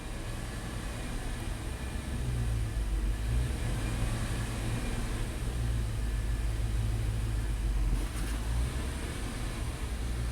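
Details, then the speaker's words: 2002 Dodge Dakota 4.7 L V8 at steady light throttle: low rumble climbs and hangs higher as the idle air control valve bumps idle up, because minimum TPS doesn't match the learned value; elevated idle from a throttle position sensor minimum mismatch. "the idle air control valve is bumping it up the idle is elevated now because our minimum TPS does not match you know what was learned"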